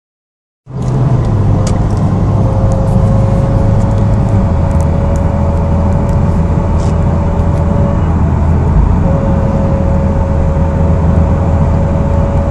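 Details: Mitsubishi Evo X MR in higher gears under acceleration: steady low drone with faint constant tone near 500 Hz, vanishing when throttle is released; load-dependent noise, cause unknown.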